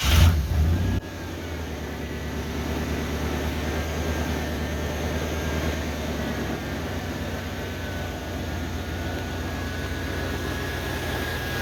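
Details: 1988 OBS truck after the old cap and rotor were cleaned of carbon with emery cloth: steady, even, smooth idle, no misses or stumbles, far smoother than the previous night's popping and sputtering; normal idle.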